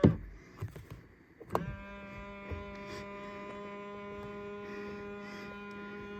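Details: 2000 Ford Explorer XLT power side mirrors, driver and passenger: a click, then a steady low buzzing hum while the mirror moves; odd mirror motor noise, cause suspected, not confirmed.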